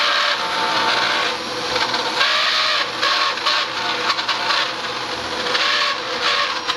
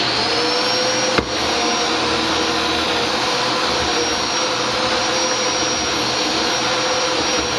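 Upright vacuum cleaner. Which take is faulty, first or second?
first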